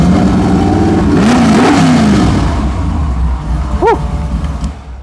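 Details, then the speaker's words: Vintage car with pull-out cassette deck; deep V8 idle swells into a quick rev and drops back, even and clean throughout; sounds good; normal idle and revving. "love it. Oh man, that sounds good. Awesome."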